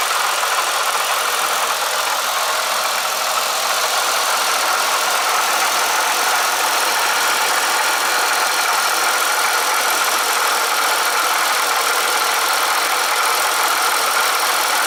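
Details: Bonneville twin at idle after an oil change: a steady, fast metallic rattle is still there, perhaps quieter than before; owner suspects the coupler next. Cause not confirmed.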